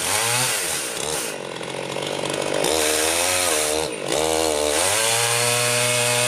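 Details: Rebuilt Husqvarna 51 chainsaw cutting a tree: bogs slightly into the cut and revs back up cleanly between cuts, strong even two-stroke note; healthy under load, bar oiler output in doubt.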